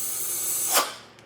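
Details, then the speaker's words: Vacuum leak test with the intake covered so the engine pulls vacuum: a short, sharp hiss rising and fading from a small vacuum port on the wastegate bleeding vacuum. With clamps tightened, the rest of the system seals. "you heared you heard one little hiss and that's he has a little vacuum port on his wastegate that's bleeding out just a little bit of vacuum"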